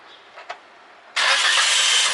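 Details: Toyota Corolla that had only clicked and failed to start, blamed on a roughly four-year-old battery; after a battery was fitted, a couple of faint clicks come before the engine catches at once and settles into a smooth, steady idle. It starts fine.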